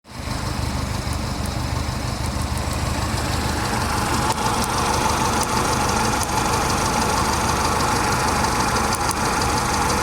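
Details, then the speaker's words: Mercedes-Benz C230 Kompressor W202 petrol engine idling unevenly with sharp snapping ticks: a loose spark plug boot on cylinder four lets the spark arc from the plug wire to the engine block, causing a cylinder 4 misfire. "that is the spark plug cord zapping off the engine block so cylinder four is grounding out on the block right now"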